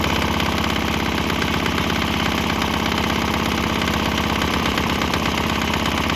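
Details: Swan X 165F Chinese single-cylinder diesel on a shipping crate, throttle on start, running on used canola fryer oil: steady thump a bit under three beats a second, slight tempo wobble as exhaust note changes; runs fine on fryer oil.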